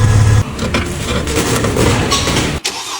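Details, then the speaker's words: Mercedes-Benz running after alternator noise repair: smooth low engine drone with no whine or rattle from the engine front; the alternator noise is gone, also none when turning the steering; charging system sounds quiet and healthy. "原来根本就听不见这边的声音，现在一点声都没了，一点声音都没了。"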